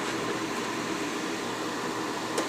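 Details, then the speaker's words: Soleil space heater that was dropped and broke a fan blade, after a makeshift plastic repair: a smooth, even airy hum with no wobble, rattle or thump. The fan runs normally and balanced. "the fan like I said it's not wobbling off the table so we didn't put too much more weight on that band to make it hobbling across the table so looks like it's uh I guess we saved it"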